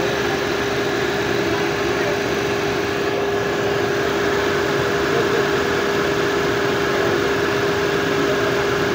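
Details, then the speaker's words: Renault Kwid Climber just started after water pump replacement and cooling system air bleed: a smooth, even idle hum with no knocking, whine or grinding, with the old noise gone and less vibration; normal idle. "आणि आता गाडी बघा स्टार्ट केल्यानंतर आवाज एकदम नाहीचा बरोबर झालेला आहे."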